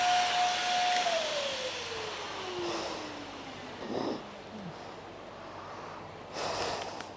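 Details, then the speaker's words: Vacuum run through five cups of baking soda: an airy hiss under a motor whine that sags steadily in pitch as it labours. All filters failed after about the third cup, so it no longer works as a vacuum or picks up properly. "we put five cups through it and after about the third cup we saw all the filters fail which means the machine is no longer working as a vacuum and we saw the machine not pick up properly"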